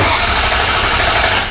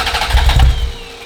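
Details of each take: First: Ferrari 348 V8 after an engine-out major timing belt service, with ignition coils disconnected and no spark: two bursts of fast, even starter churning of about 1.5 s each while priming oil pressure; it turns over without firing. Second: Ferrari 348, first start after engine-out timing belt major service, about 2 gallons fuel: a second of heavy low cranking chuffs that never catch and fade; crank no start because throttle linkage knocked loose, throttle not moving.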